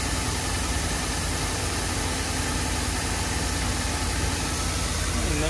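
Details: 2014 Ford F150 after replacing the water pump with the broken impeller and refilling the coolant, warming to operating temperature: a steady, even, smooth idle rumble with no knock or whine. The earlier noise is gone and nothing leaks. Normal idle.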